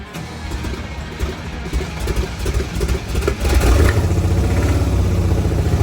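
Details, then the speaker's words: Abandoned 1969 Cadillac V8 on its first restart after the starter was refitted, run from a fuel can: a fast, rising idle that never settles because the carb idle screw is set too high. The screw was adjusted down afterward. "Steve adjusted the idle screw on the carb so the engine wouldn't rev so high and then we had to refill the fuel can that was running off of cuz the Thirsty caddy"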